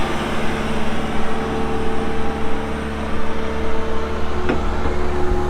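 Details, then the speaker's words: 2018 John Deere 331G skid steer diesel, about 1,803-1,809 hours, loaded with options: even steady low-rumble idle, no knocks, misses or hunting; normal idle. "So pretty well loaded up machine. Starts up, runs good."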